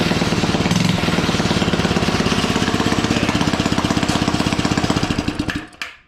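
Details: Suzuki ATV with engine kill switch hotwired and a fuel line leak awaiting repair: small single-cylinder engine popping at a fast steady beat, then winding down when shut off; running fine, throttle still needs work.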